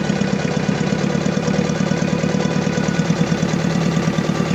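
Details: Diesel engine rough, lumpy idle with uneven low thud and shaking beat, engine vibration, low power and black smoke; misfiring, fuel system problem suspected.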